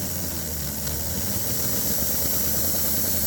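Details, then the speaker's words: Toy train locomotive from the 1940s–50s after tune-up with traction tires, on rolling road, DC motor on DC power supply: steady high-pitched whir with soft hiss, smooth, no catching or grinding; normal running. "this was a DC power supply because that's a DC motor now it would not run on AC and I turn this on"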